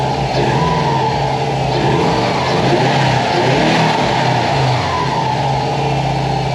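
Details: 2004 Subaru WRX wagon first start after a used timing kit was installed to cure a knock from a loose, freely spinning pulley: strong, steady boxer idle with even low rumble and no knocking.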